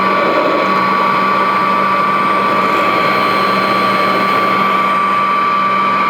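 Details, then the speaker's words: Vintage Royal 153 vacuum, motor just oiled and run with the belt disconnected to let oil reach the bushings: steady, even hum with a fixed tone near one kilohertz, no grinding or scraping; normal unloaded motor run. "But this one, actually, I just oiled it, and so what I'm going to do is disconnect the belt, because what I want to do is keep any tension off that motor and let some oil get down in those bushings before I try to start it up. So let me let it run for a bit with no belt."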